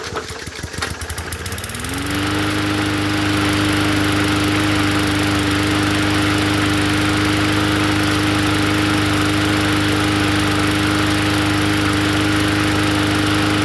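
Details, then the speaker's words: Poulan push mower engine swapped onto a different 20-inch deck after the original deck was ruined. It pulls over, catches and settles into a steady, even single-cylinder drone with no misses, running healthy. "Heat. Heat. Sounds good to me."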